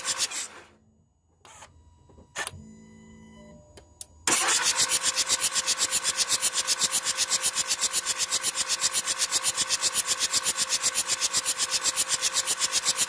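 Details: 2004 Jetta TDI, morning cold no-start unless WD-40 is used: a few seconds of faint cranking, then the diesel catches and settles into an even, quick idle clatter; cold hard start.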